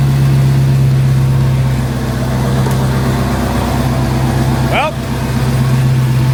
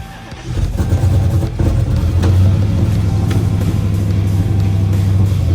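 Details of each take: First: Dodge Hellcat V8, after teardown for a rough idle with no codes, started on a jump box: deep, steady idle with an even beat, no stumbling or shaking; engine running fine now. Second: Dodge Hellcat V8 cold start on a jump starter after sitting dead: loud, uneven, lumpy idle with irregular pops from a misfire; rough idle with no codes stored.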